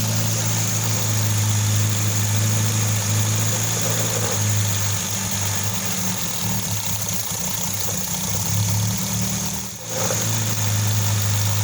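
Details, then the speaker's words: 1988 Nissan Sentra E16i during starting and running troubleshooting; idle drifts up and down every few seconds instead of holding steady, dipping briefly once before recovering; hunting idle. "See? Right now it's idling up and down."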